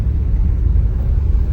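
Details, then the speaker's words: Mitsubishi L200 pickup driven over cobblestones after fixing the shock absorber bushings, window down: only a steady low rumble with no metallic knocks or clunks; the metal-on-metal suspension noise is gone. "vocês ouvir Melhor não tem mais barulho não tem mais aquele barulho que tava fazendo de ferro com ferro subiu total"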